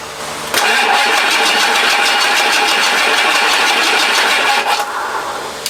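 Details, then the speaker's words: Rebuilt 7.3 Powerstroke diesel in 4x4 Ford Econoline van: even cranking chug about five beats a second for four seconds, never fires; crank no start. "all right let's try replace the cam position sensor try cranking it for a while"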